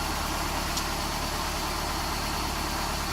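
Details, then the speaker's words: 1995 Nissan pickup, recently fitted with a new crankshaft seal and other seals, warming to operating temperature before a compression test: steady, even idle with a smooth low rumble and no knocks or misses. Sounds healthy. "I've got the motor here running get it up to operating temperature good sounds good"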